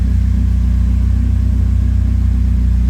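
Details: 2008 Acura TSX (CL9, K24) after repairs, warm with coolant bled and temperature below halfway: steady, smooth low idle with an even pulse, no misses, knocks or squeals. Normal warm idle.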